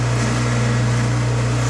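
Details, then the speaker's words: Bottle-washing machine pump flushed with emergency stop engaged: steady, rough low hum with no sound of liquid moving; pump running nearly dry because there is little liquid. "si l'on entend que la pompe à Roche un peu parce qu'il y a pas de liquide vraiment"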